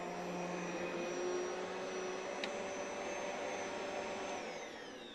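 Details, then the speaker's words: Vacuum with carbon motor brushes worn to about half an inch of an original inch and bearings already re-greased: a steady loud roar with a high, thin whine from the worn motor. "And this motor has had, you can hear that whine. Why the body's in excellent condition on this machine, this motor, the carbon brushes maybe have about a half an inch left in them."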